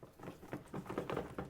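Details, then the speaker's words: Dirt bike that won't start, fuel tank drained after ethanol-fuel damage suspected, light irregular clicks and taps as the tank is tipped; a detached fuel pump pre-filter rattling loose inside. "There's something rattling around in there. There shouldn't be."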